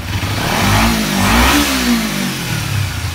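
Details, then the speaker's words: Kawasaki Ninja 250R race bike that was bogging and dying off throttle, after carburetor cleaning and new plugs: revs up smoothly and returns to idle without stumbling, no bogging anymore. "Fired it up. Oops. Now she's running. It's not bogging anymore."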